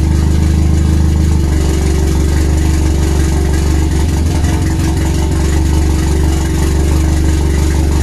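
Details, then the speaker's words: RWD turbo Nissan Micra K10 engine, first start after fixing an injector O-ring fuel leak and fitting a lambda sensor: a loud, deep, lumpy, irregular idle that chugs like a tractor, with gaps; rough idle, cause not yet found. "this thing sounds like a tractor those it's got those silences"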